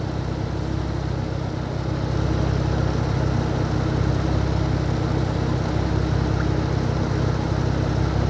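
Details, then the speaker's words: 2012 Camaro rebuild project idling after radiator repair: a deep, steady idle with an even low rumble, no knocks or misses; runs well and sounds healthy. "This thing runs so good now, I don't have to worry about it."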